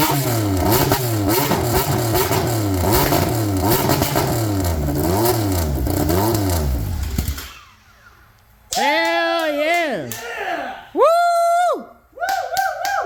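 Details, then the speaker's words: Polaris RZR XP with swapped Yamaha Nytro triple, straight-piped with no exhaust: loud raw note rising and falling in repeated blips, never steady at idle, idle still to be set; sounds really good, though an error code returned. "who needs an exhaust let's just send it sounds actually really good like that let's just send it"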